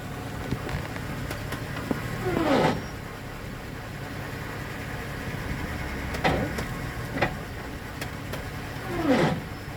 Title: 2005 silverado 4l60e weird noise even with shafts out and converter replaced not in suspension